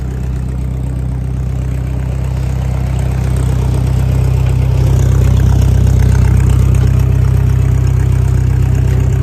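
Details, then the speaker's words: 1956 Massey Ferguson MH50 gas tractor with a new battery and fresh fuel, just idling: steady, even low idle with a smooth regular firing beat and no knocks or misses. Normal idle. "That's the little tractor just idling, folks."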